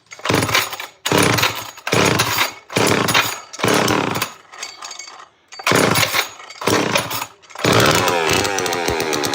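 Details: Old Homelite automatic chainsaw with good compression: it surges in short bursts about once a second and drops almost to nothing between them, unable to hold revs. The finding is a carburetor fault; the saw needs a carb.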